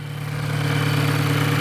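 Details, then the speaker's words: Very noisy Volkswagen GTI direct-injection petrol engine at idle: loud steady low hum with a busy ticking mechanical rattle; carbon build-up on the GDI engine is suspected, not confirmed. "now as you can see this is a very noisy volkswagen gti we'll start it up you can easily hear the noise it's making"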